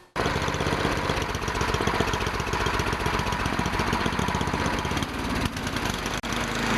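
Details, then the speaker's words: Tecumseh engine on MTD snowblower that revved high with uncontrollable throttle, after throttle linkage repair: holds a steady, even speed with no surging or runaway revs; governor and throttle working normally. "So, as you can see, it was a fairly simple problem to repair."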